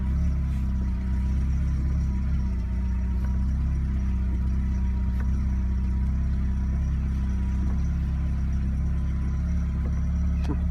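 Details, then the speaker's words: Peugeot 206 at idle after topping up power steering oil that was below minimum: smooth even idle with only a low steady hum, earlier pump noise gone; normal idle with quiet power steering pump. "steering feels the same but you dont hear the pump so that is ok"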